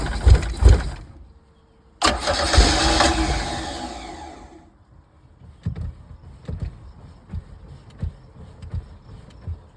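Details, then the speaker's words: 1982 Sea Ray boat engine, no-start: fires for a couple of seconds on fuel poured down the carb then dies back to scattered ticks; fuel pump not delivering fuel through the line to the engine. "However, getting gas here was not happening. So I was not getting any fuel through my fuel line here to make, the engine happy."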